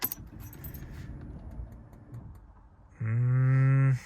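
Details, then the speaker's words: Mercedes C55 AMG (M113 engine) with a new NOCO NLP30 lightweight battery, second start attempt at about 63°F after trickle charging; a short, strained starter whir with some clicking gives a weak crank that doesn't catch. "Sounded better, but I did hear some clicking."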